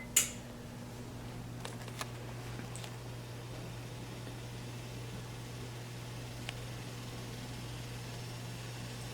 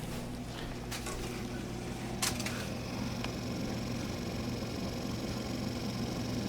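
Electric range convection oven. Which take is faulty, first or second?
first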